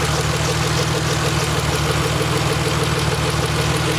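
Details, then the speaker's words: DeLorean #2727 twin-turbo twin-chargecooled engine, idle the day after first running following rebuild of heads, cams, valves, chargecoolers and turbo; mic between exhausts; steady idle with crisp regular tick from batch-fired injectors, all six squirting every two revolutions; normal. "That main ticking that you can hear there is actually the injectors, because it runs batch fired injection as the original Renault did, and that tick tick tick tick tick tick tick tick, that's it firing every period."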